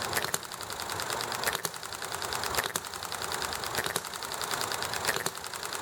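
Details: Enjomor model hit-and-miss engine running nicely: single sharp firing pops about once a second with coasting ticks between, over steady background hiss, highway traffic and conversation; normal hit-and-miss running.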